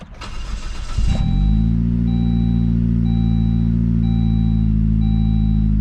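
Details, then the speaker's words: Saab 9-3 with a misfire, after fuel regulator replacement and before any coil pack work: engine catches after a brief crank into a steady, even idle with no stumble; sounds much better, and the owner thinks the regulator was the cause. "Now guys, we haven't even gotten to the coil pack yet, but that sounds a lot fucking better."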